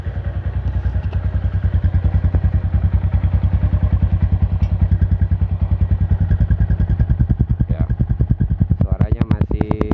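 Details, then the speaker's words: Yamaha Jupiter MX 135, 2011, 11 years of use, started after sitting a long time: steady even single-cylinder idle thump with no ticking or knocking from the block; normal idle. "Langsamnya ya, ini suara langsam ya, menurut saya masih normal ya. Tidak ada suara-suara di blok mesin, suara yang menggelitik atau ketrek-ketrek ya."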